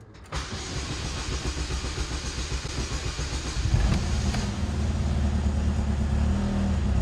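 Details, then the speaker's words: 2004 Chevy Malibu Classic after cleaning and refitting seized oil-pressure timing chain tensioner, first start: fires almost at once, steady even low rumble with no clatter; noise still faintly heard but better, normal start and idle. "that didn't take nearly as long to start sounds pretty smooth back here okay i can still hear it but it's better"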